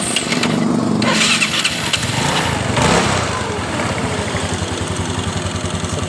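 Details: Yamaha Mio scooter after replacing CVT pulley and rollers, owner checking for one-way starter clutch slip: electric starter spins and engine catches cleanly, settling into steady idle with no slipping whirr; starter clutch engaging properly.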